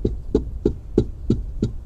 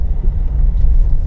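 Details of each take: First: Nissan Terrano, cluster meter removed, panel struck by hand: sharp hollow knocks about three a second from a loose metal strip, likely left loose when the dashboard was previously opened elsewhere; fix is tightening the strip. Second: Nissan Terrano, driving on road after tightening loose dashboard strip near instrument cluster: earlier a rattle came from the cluster area, now only low road rumble and a quiet cabin, no ticking or buzzing. Fault blamed on careless earlier outside work.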